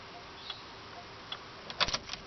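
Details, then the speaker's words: Truck with good battery, ignition dead, suspected loose solenoid wire: hazard flashers on with key off, light sharp clicks at a slow steady pace under handling noise; flasher relay working. "if I turn on the fourways a minute ago they were kicking on fourways are on I can hear it click"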